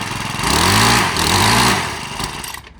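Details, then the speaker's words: Gas string trimmer stalls when pressed to full throttle: small two-stroke buzzes up, sags and dies within about two seconds; suspected throttle adjustment needed or insufficient fuel supply, not confirmed. "it's stalled on you. That's going to be a simple fix. I'm going to show you how to fix it. It's either the throttle need to be adjusted, or you're not getting enough fuel line."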